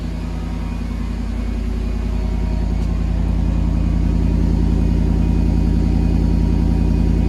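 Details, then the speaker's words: Mercedes W140 after catalytic converter repair, now two resonators and original rear muffler, door open: smooth, deep, steady idle rumble with no rattles, ticks or leaks; healthy quiet exhaust. "we'll start the car up so you can listen to it and hear that the catalytic converter is fixed, and hear what it sounds like with the 2 resonators."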